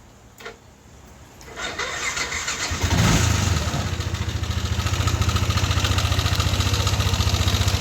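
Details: Yamaha NMAX V1 scooter starting and idling with a busy metallic rattle and knock in the engine over the exhaust beat.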